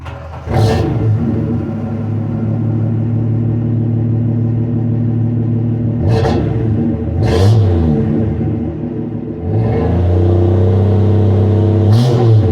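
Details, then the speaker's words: 1966 Dodge Dart 225 Slant 6 with a freshly rebuilt engine (400 miles) and new 2 1/4 inch exhaust front to back with an imitation Flowmaster muffler: low, smooth rumble at idle with quick clean rev blips; breathes better, healthy normal exhaust note. "Sounds a whole lot better. At least you can hear it going down the road now. Breathes a lot better performance."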